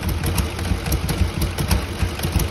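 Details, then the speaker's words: 2008 Ford 5.4 3V V8, warm engine at idle: a lumpy idle popping out of one bank with one pulse missing each cycle. All injectors are being triggered, but one cylinder is completely dead. Owner also suspects an exhaust flange leak. "now we've got some heat in the engine this is pretty much what it's doing popping and farting out of this bank"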